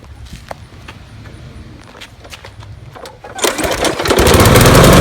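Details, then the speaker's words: Troy-Bilt TuffCut 210 mower (12A-566N063, Briggs & Stratton 6.75, primer start), new air filter fitted: quiet ticking, then fires and revs with a slightly lumpy, uneven chug when cold, improving as it warms; cause unknown. "you see it runs a little weird after it warms up it seems to get better if anybody knows what that could be post a comment thanks"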